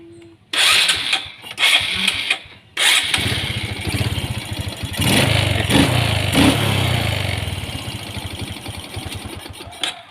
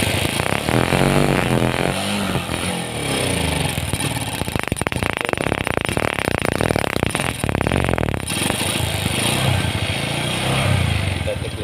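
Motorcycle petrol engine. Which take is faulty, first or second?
second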